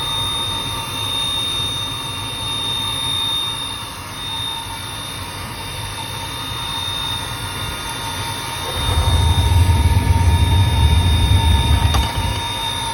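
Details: Riello 40 F5 oil burner: constant high-pitched squeal over the steady roar, unchanging; probable cause the motor bearing (sealed unit, no lubrication points), not confirmed.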